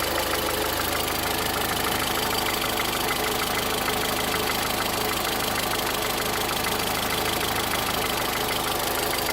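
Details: 2013 VW Voyage with the EA111 engine making a strange noise: a fast, fairly even ticking knock about three per second over a harsh idle, cause unknown. Engine knocking noise.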